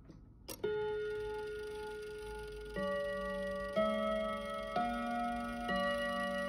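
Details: Kienzle Westminster chime mantel clock, after oiling the chime plate: chimes ring one note roughly every second, clear and bright, but out of order; hammer collectors need altering to fix the chime sequence.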